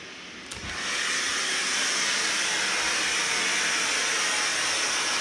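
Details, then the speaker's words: Kohler K9 steam generator after repair for error 5 (overheating from low water or blocked feed line), started cold: steady, even rushing steam hiss, no sputtering or knocking; boiling normally, no leaks. "water seems like it's boiling i hear the steam i don't necessarily see anything leaking here i think this is good"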